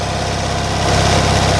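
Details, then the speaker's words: Classic Fiat 500 twin just started cold on full choke after sitting for a while: quick, steady two-cylinder patter held at a raised speed; fast idle because it is still fully choked. "So it's still running fully choked, which is why"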